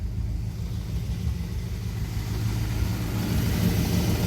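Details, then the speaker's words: 1973 Dodge D100 idling after power steering pump work: an even idle rumble with no whine or groan from the pump and no leak at the bolt. The power steering pump sounds fine. "No leaking from that bolt. Pump sounds good."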